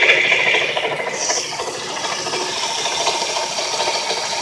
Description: I went nuts looking for this noise that kept progressively getting worse, this is the worst it was at, turns out it was the bearings in my brand new alternator.